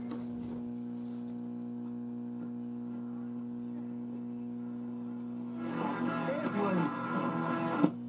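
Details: Zenith farm radio, originally 6 V storage battery powered, converted to 120 V 60 cycle AC after fixing a non-oscillating oscillator and other faults: steady low hum, then clear full programme audio; receiving and playing normally.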